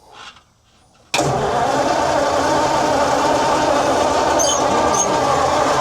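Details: Abandoned 1954 Chevy truck or 1939 Ford cabover, long sitting, with starting fluid and choke: steady churning crank at about four beats a second that never catches; turns over but won't fire.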